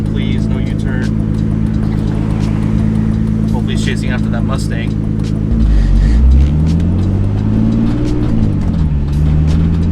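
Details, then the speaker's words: Turbo BMW E46 drift car on its first drive: the engine is fine below 2,000 rpm, but under any load the note sags and wanders and revs drop to around "16" instead of pulling cleanly; bogging under load, cause unknown. "like any anywhere below 2k i'm i'm okay but obviously like i can't put any load in it like any time i try to put any load whatsoever it like it'll go to like 16 so i need to work on that part"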